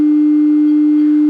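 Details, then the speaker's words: Music & Sound MC602 intercom master, powered by its own transformer with a generator signal fed in and a scope on the master speaker output: pure, steady test tone near 300 Hz, no buzz or hum; clean sine output. "if we send the signal in there's our sine wave as clean and as perfect as it possibly could be"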